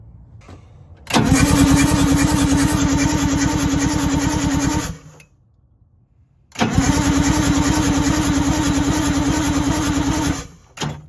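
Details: MCI bus diesel with low-value used purchase, cranking at roadside: two long bursts of fast, even starter chugging with no catch or firing; cranks but won't fire, no fuel reaching the injectors yet.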